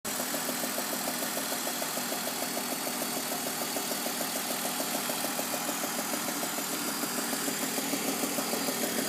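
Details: BMW E46 with VANOS replaced, plugs, tensioners and pulleys checked: steady idle with a light, regular ticking knock about three per second, suddenly worse, with throatier exhaust and slight power loss; exhaust manifold leak suspected.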